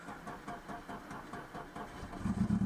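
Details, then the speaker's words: Citroën BX 16 TZS, barn-find, warm engine: weak, uneven crank picks up into a rough catch near the end; when warm it won't start without pressing the throttle; hard starting when warm. "ouais à chaud faut accélérer c'est bien ce qui me semblait"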